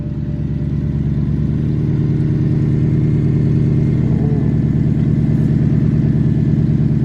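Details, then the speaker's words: BMW E92 M3 (S65 V8) in limp mode from failed throttle actuators, before replacement: low, uneven idle with a lumpy pulse about twice a second that never settles. "so the car is in limb mode um my throttle actuators went bad and i was waiting for replacements"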